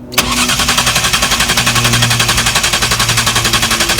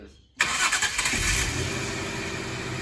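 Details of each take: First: Rare 1999/2000 Jaguar S-Type sports manual with five-speed Getrag gearbox, after dual-mass flywheel and clutch replacement; starter cranks steadily about four turns a second for eight seconds, never catches, no OBD fault codes. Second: 1999/2000 Jaguar S-Type sports manual with five-speed Getrag gearbox catches immediately after a short crank, flares briefly, then settles into a smooth steady idle; clean first start after new dual-mass flywheel, clutch and fuel pump.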